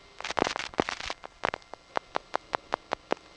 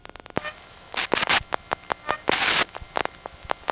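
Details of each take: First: GEdney 9 panel telephone office, Brooklyn NY, November 1977: a burst of clatter settles into crisp, evenly spaced clicks about five per second; normal revertive pulsing as the calling panel office's sender selects an outgoing trunk. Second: GEdney 9 panel telephone office, Brooklyn NY, 1977, call over a direct trunk to another panel office: sharp relay clicks and normal revertive pulsing as the last four digits are dialed, with a faint squeak every couple of seconds; squeaky motor shaft.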